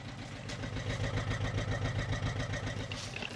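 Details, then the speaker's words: Audi A4 2.0 TDI just after turbo replacement: lumpy, uneven diesel idle wavering at about 3.5 pulses a second, as if one or two cylinders are not firing. Injectors are suspected, and no fault codes are stored. "Okay, it is definitely running rough. What I'm gonna do is hook up the diagnostics to it and we'll see how the injectors are working, because at the moment it sounds like one or two are not working as they should."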